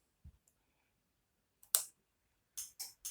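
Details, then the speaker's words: Moped (50cc mécaboîte) with ignition switched on: sharp dry starter-relay clicking with no cranking or engine run; the relays pass current but it won't start, often because a gear-position contact switch behind blocks starting. "tu entends le clip qui quant à lui il ya derrière donc ça c'est le rôle et le démarreur tu entends le cliquetis ça c'est des deux rôles et servir que le jus face mais ta moto ne démarre pas"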